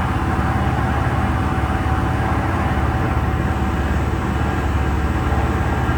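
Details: Diesel fire sprinkler pump on its weekly half-hour test run, isolation valve closed: a deep, steady diesel drone at constant speed with an even beat, no knocks or misses; the engine runs normally.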